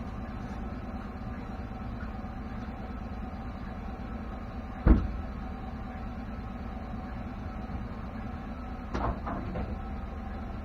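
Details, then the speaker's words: 2016 Chevrolet pickup driving: steady low road rumble broken by two sharp single clunks several seconds apart from the rear end. It persists after the dealer replaced shocks, is heard on sharp turns, and GM deems it normal. "so what I want is for Chevy to show me any pickup on their lot that sounds like this and tell me that it's normal"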